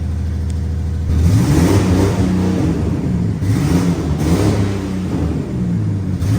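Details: Chassis-swapped 1965 Mustang, first start in about 6 months: a loud open-exhaust engine climbs and falls through several blips, clean and even with no knocks or misses; the engine runs healthy.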